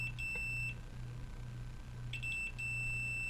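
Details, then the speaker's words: Homemade blackout alarm after repairing a PC-board mistake with a solder bridge: clear high-pitched buzzer beeps in uneven bursts over a low mains hum; the buzzer sounds normally when triggered. "get the buzzer out for for you guys so you can hear it why not yeah that's better"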